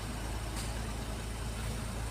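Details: Geely Okavango 1.5L after a no-start fault in the DC-DC system was repaired and an angle calibration completed, steady smooth low idle hum with no misses or knocks; engine running normally.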